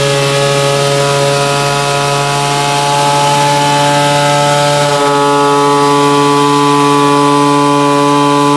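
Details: Peugeot 103 moped, tuned two-stroke with new resonance exhaust: clean steady high-pitched buzz at full revs with no misses or rattles; healthy, well-tuned engine pulling hard.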